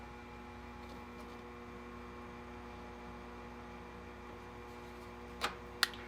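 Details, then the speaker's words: Heat-treat furnace during burn-in, door switch closed and relay on: low steady electrical hum of the heating coils drawing about 7 amps per coil side, two sharp clicks near the end; normal coil hum. "if I close the door now we have red and you can hear the hum of the coils themselves right now running current load is about seven amps per cool side"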